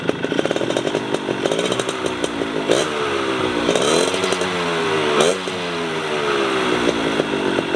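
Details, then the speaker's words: Suzuki RC100 two-stroke (bore 52.5 mm, stroke 46 mm, oversquare, low torque) tuned standard and economical for daily use, engine still cold, mic on tripod; crisp note blipping up and down cleanly with no stumble or rattle, running normally. "ini mesinnya itu saya setel standar irit enggak boros-boros amat karena bo dipakai buat harian ya"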